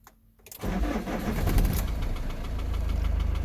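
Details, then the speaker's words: 2006 Iveco Daily 35C14, 3.0 HPI F1C diesel, 136 hp, which won't start when hot, before repair. Cold start: the starter churns briefly, then it catches at once and settles into a steady, even idle with no warning lights. Normal cold start. "van starts okay when cold. This is just to show you the temperature gauge, and obviously the van running okay."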